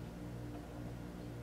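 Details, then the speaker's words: Pentron reel-to-reel tape deck, probably from the 1950s, from a thrift store, first power-up before restoration: faint steady 60-cycle mains hum through the speaker; owner suspects dried-out capacitors, cause unconfirmed; volume pot also scratchy. "a tiny tiny bit of 60 cycle hum not surprised probably got some dried out caps in there"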